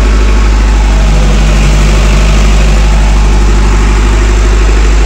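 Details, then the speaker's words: Intergen MWM 40 kVA diesel genset with 382 hours, warming up after a start before transferring power: a deep, steady drone with an even low beat and no misses or knocks; normal idle. "sudah stabil dia baru ngoper listrik. Inilah manasnya."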